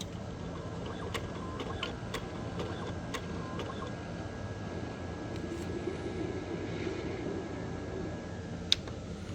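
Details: Original Xbox with Philips disc drive giving a steady whirring drone with irregular sharp ticks and clicks: abnormal optical drive mechanical noise.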